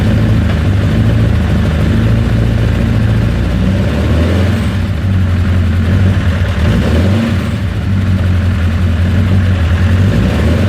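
Low, steady engine idle with an uneven, wavering beat instead of a smooth hum; a rough idle, cause not evident.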